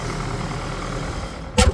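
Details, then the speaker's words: 2009 Ford Escape Hybrid with 126,000 miles, the hybrid engine started right up. A low, steady idle hum with no knocks, ticks or roughness, then one brief thump at the end: normal idle. "sounds like it's doing what it's supposed to be doing um this one only has 126,000 M on it too"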